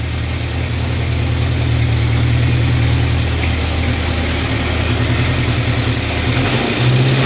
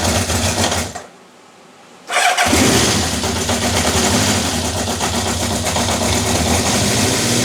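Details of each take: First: Honda CB750 K4 single overhead cam four-cylinder after carburettor, airbox and wiring repairs: steady even idle with clean rev blips, no more knocking or stumbling; engine running sweetly and balanced. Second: Honda CB750 K4 SOHC (US import), first start after a history of multiple rebuilds and damaged carbs: cranks, catches after a pause, then an uneven, lumpy idle fighting itself. No cam chain rattle or top-end tapping heard; ignition timing likely off and the carbs likely need full work.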